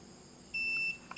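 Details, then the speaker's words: Daikin R32 inverter air conditioner board showing L5 error, compressor not running: multimeter continuity beep between ground and 15 V pin (7 ohms both ways) confirms short on the 15 V supply to the power IC. "chúng ta đo với chân mát là thấy thấy nó kêu như vậy như vậy là chắc chắn chạm chập Đường 15 V cấp xc công suất rồi"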